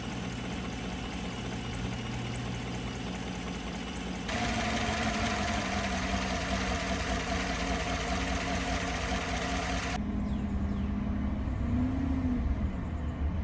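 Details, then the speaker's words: GM 5.3 L83/6.2 L86 V8 after a DOD/AFM delete with a new mild stage one cam and lifters, on first start: steady idle on its own with a faint uneven lope and no lifter chirp; slightly choppy, owner thinks it needs a tune. "out okay guys she does idle by herself it's a little bit choppy I don't think it's because of the cam cuz it's a very mild stage one cam"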